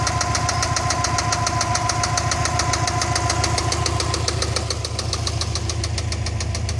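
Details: Subaru EJ206 engine running evenly at idle: a steady, fast metallic tapping, roughly three and a half knocks per second, over the idle; clear internal engine knock, source not identified.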